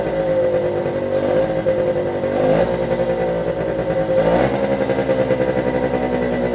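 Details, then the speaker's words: 1973 Suzuki TS50 50cc two-stroke at first start after a full restoration, choked and kick-started in one kick. It gives a steady, crisp, even idle with slight revving surges and settles quickly; there is air in the oil pump lines, which needs bleeding. "that's it starting one kick quite pleased with that"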